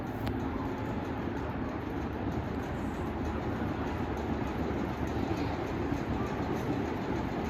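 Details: GEC Bianca ceiling fan running with a steady, gritty low rumble from worn bearings; it also has a bad capacitor.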